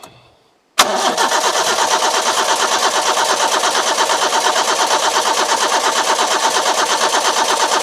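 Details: Petrol carburettor engine with coil and distributor, fuel poured into carburettor float overflow: even starter cranking about three compressions a second for seven seconds, never fires; crank no start, owner suspects lacking spark.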